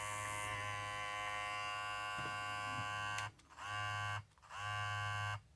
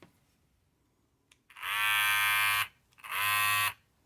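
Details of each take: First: Babyliss 870 hair clipper about five months old, after replacing blade to cure loud noise: steady even high buzz, cutting out and restarting cleanly twice, no rattle; normal clipper running after repair. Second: Babyliss 870 hair clipper about five to six months old: two loud one-second bursts of harsh high-pitched rattling buzz, far noisier than normal; worn blade, fixed by replacing the blade.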